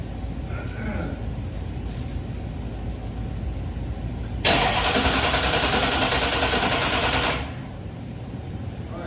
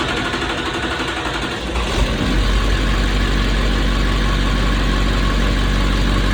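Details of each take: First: 1971 Chevy C10 with a swapped-in Duramax diesel: starter churns steadily about three seconds with a hissing rush but it never catches; crank-no-start, likely out of fuel after the fuel filters and lines were left loose; grounds later found misplaced. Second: Duramax diesel swapped into a 1971 Chevy C10, first run with broken fuel injector return line tee and smoking: cranks briefly, catches around two seconds, steady even idle without knocks.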